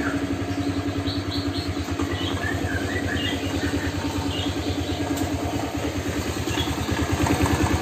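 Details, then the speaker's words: Old Honda Vario scooter at idle, oil about two months old: steady tak-tak knock about three per second over a smooth idle, from the middle of the engine, not the CVT side, clearer with the exhaust blocked; cause suspected, not confirmed. "jadi motornya itu disini mestinya agak sedikit berisik ya tapi berisiknya itu kayak tak tak tak tak tak tak gitu teman-temannya cuma suaranya itu dari tengah melainkan bukan dari sebelah arah cvt ya"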